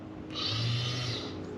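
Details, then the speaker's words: 1994 Pontiac Trans Am GT revived after sitting 17 years, fuel pump bench-tested dry before fitting in the car: thin, steady high-pitched hum that holds level with no rattle or surging; normal fuel pump run. "sounds awesome actually sounds really good especially for a dry pump"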